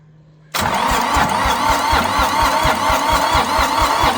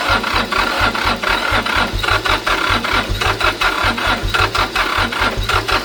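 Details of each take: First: Long-abandoned International 284/285 4x4 diesel tractor, fuelled, primed, with glow plugs refitted and cylinders filled with ATF: cranking at about two strokes a second, some cylinders catching but never picking up. Owner suspects leftover ATF and wants more throttle and glow plug. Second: International 285 4x4 diesel tractor (title says 284), restarted after revival: steady low thumping beat with clattery top end holding an even idle; running normally, though steering box, flat tires and stuck clutch still need fixing.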